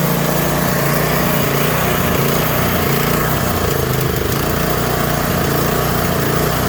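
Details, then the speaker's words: Troy-Bilt Squall 210 snow blower (model 31A-2M5E711), sat with fuel in it, starts then dies or surges: runs rough and unsteady, only staying on full choke; bad fuel or gummed carburetor. "either way, that means you have an issue with either bad fuel in the unit or your carburetor's gummed up."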